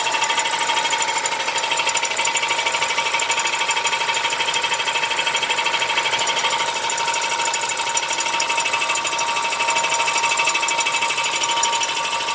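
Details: Audi A4 B8 1.8 TFSI running with a fast, even metallic ticking, steady throughout with no load change; an engine knock whose cause is unclear.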